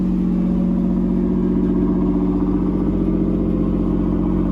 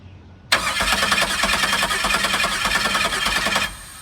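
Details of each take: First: Camaro V6 just after first start following fuel pump relay check, idling a little high about 2,500 rpm: smooth, even note holding steady, no knocks or misses; healthy. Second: Camaro after starter installation, first crank attempt: starter spins the engine at a steady, even rhythm for about three seconds but it never catches; engine not locked up, fuel pressure uncertain and fuel pump not heard. Crank, no start.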